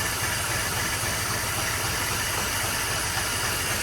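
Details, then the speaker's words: Ford Barra BF XR6 first start after thermostat housing repair: uneven, stumbling idle with irregular low thumps, because the MAP sensor and throttle body connectors were left unplugged. "but we've got a rough idle. Oh, map sensor's not plugged in. The throttle body's not plugged in."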